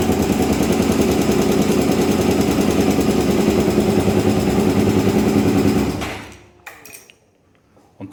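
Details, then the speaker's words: Honda Twister 250 motorcycle single idling steady with a fast, even rattling tick from the top end; loose cylinder head bolts causing the noise, after cam chain and tensioner were suspected. "e aí galera é a soltar um vídeo rapidinho para vocês aí tu está fazendo um barulho na parte de cima e"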